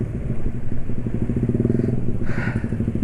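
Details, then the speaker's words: 155 cc scooter with an intake restrictor ("silk") fitted inside near the filter, on Yamalube XP oil at 156 km: an even, steady thumping with no roar or rattle. It runs smoothly, with less vibration, and the earlier "ngok-orok" noise is gone. "alusnya juga termasuk dari suara karena suara ngok-orokan itu hilang ya"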